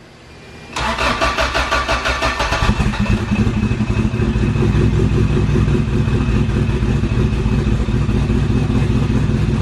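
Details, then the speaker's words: Acura with sleeved GSR B18 on AEM EMS after fuel filter cleaning, cold, weak battery: starter chugs about three beats a second during extended cranking, then engine stumbles and catches roughly; fuel pressure good, hard start. "Little gas. Hold the gas steady down slightly. See if that helps. Well, I can see it over here. I can watch your cable. Almost. She almost had it. It needs a battery is what it needs."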